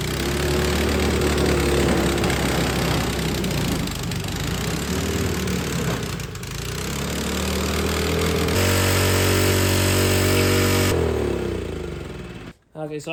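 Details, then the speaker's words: Snow blower small engine that sat all spring and summer on ethanol gas and wouldn't start; gas changed, carburetor cleaned. Fires and holds a steady, even run with a throttle change partway, then shuts off cleanly; normal running after carb cleaning. "have to pull the key up I've clean the carburetor out and it starts"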